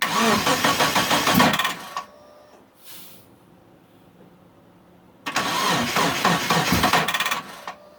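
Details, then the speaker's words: Mitsubishi Eclipse after sitting about 8.5 years, with fuel, spark and timing confirmed and fuses good, on a weak battery; two bursts of steady cranking, no catch; owner suspects the crankshaft position sensor and plans a vacuum test. "yeah something's [ __ ] up i don't and i don't know what the hell it is um i mean [ __ ] i'm getting fueled getting sparked"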